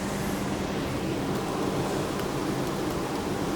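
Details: Suzuki Celerio, three-cylinder engine, idling: uneven lumpy idle with a stumbling low thrum and stalling while driving; scan found cylinder 2 misfiring, traced to a failed fuel injector.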